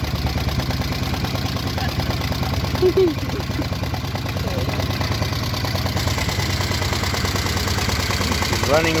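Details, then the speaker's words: Traditional boat launch engine, first start after sitting, on temporary water and gas tank with mounts not yet adjusted: steady, even low putter at idle with no knocks or misses; a bit shaky from loose mounts. "nice a bit shaky because we gotta change uh i mean adjust the mounts a little bit just fasten everything down"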